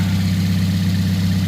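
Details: 2010 Toyota Yaris manual with 1.5 L 1NZ four-cylinder: smooth, even low hum at steady idle, no knocks, ticks or stumbles; engine idles healthy.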